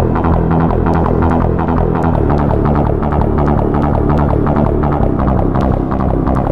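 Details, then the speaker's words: Roland CM-64 with the very first ROM version 1.00 playing synth music: sharp clicks and small pops in the gaps between notes. "And you'll hear you notice like a clicking and a popping in between the notes."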